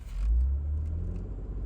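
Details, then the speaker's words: 2025 Lexus GX550 Overtrail+ SUV accelerating from about 48 mph in Comfort drive mode, recorded in the cabin: soft, even low rumble with no knocks or whine; quiet and smooth but a little hesitant on acceleration. Normal acceleration. "and you can hear how quiet it is and smooth it is but a little bit hesitant on the acceleration"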